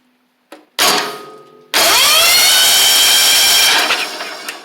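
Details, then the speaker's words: 1985 Wheel Horse 312-8 garden tractor, long-sitting, after clearing a mouse nest and debris from the starter area: starter spins the engine smoothly at even cranking speed with no binding or grinding, engine now turns over freely. "the good news is I'm not going to kick it too much but well y'all can see that it turns over now"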